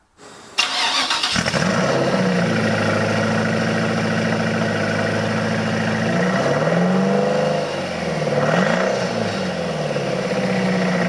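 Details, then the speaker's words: 1999 Lotus Esprit V8 starting and idling with an uneven, stumbling beat; two cylinders dead with no spark, heard after ignition work failed to fix it; cause later traced to a failed ECU coil output, repaired. "so as you can hear it doesn't sound great in fact by checking uh which cylinders were dead i discovered that there were two dead which was interesting to me"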